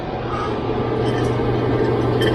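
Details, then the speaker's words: Harman XXV stove after distribution blower replacement with an externally mounted motor on a custom weldment, test run: steady low hum and smooth whir, slightly louder as motor is external, no rubbing or rattle; normal. "Perfect. Sounded great. Alright, guys. We got it going. And it's a little bit louder. You can hear the motor because it's mounted externally, but plenty of heat going there."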